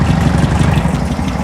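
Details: Circa-1970 four-cylinder sand rail, 80°F shop, fresh start: fast, light tapping over steady low idle from dead center of the block, firing on all four; owner says not rocker, suspects a sticking lifter.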